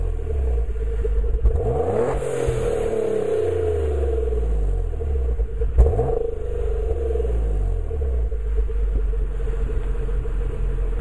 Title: 2004 g35 reving haltech rc 750cc greddy tt hks exhaust- misfire issue